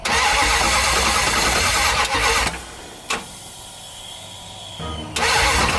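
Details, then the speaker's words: 1978 Dodge Power Wagon with a 383 V8 from a '70 Cuda, sat over 10 years, open headers, first start attempt: starter churns in bursts but never catches; crank no start, distributor suspected 180 degrees out. "i think we're 180 out all right so i just pulled out the distributor from where it was"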